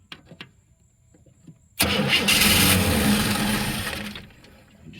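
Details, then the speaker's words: 1963 Chevy II inline-six, long parked, jumped at the starter due to a faulty ignition switch: starter cranks at a steady quick beat for about two seconds but never catches. Cranks, won't start. "see if we're getting some see if we're getting some juice in there and we ain't getting nothing yet"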